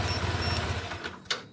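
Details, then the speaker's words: Yamaha Nmax scooter with a 2-year-old alarm fitted with new wiring. Started with the key, then the remote lock is pressed: the quick even idle dies within a second after a click, so the immobilizer cut-off works. "motor mati ya kalau masih mati itu artinya sistem nanti malingnya sudah bekerja ataupun berfungsi dengan baik"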